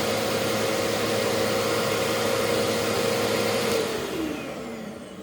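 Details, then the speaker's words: Bissell PowerClean vacuum after repair and reassembly, running without its clogged washed pleated filter: steady motor roar with a clean high whine, no shaking, then a smooth wind-down; sounds better than the earlier struggling with the plugged filter. "yeah that sounds a lot better which it didn't sound bad before but the thing you could tell that the that the uh the filter was plugged"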